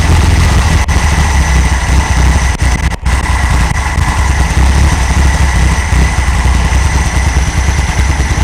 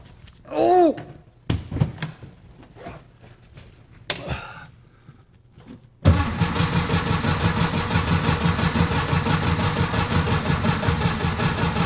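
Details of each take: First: 1964 VW Beetle air-cooled engine idling from cold after a tune-up replacing rockers, carburetor and ignition parts: deep, steady putter settling into an even idle with no misses or knocks; healthy. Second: 1964 VW Beetle after tune-up with new rockers, carburetor and ignition parts, cranking with weak battery: after a few clunks it turns over slowly, about three beats a second, even but sluggish, never catching while fuel is checked.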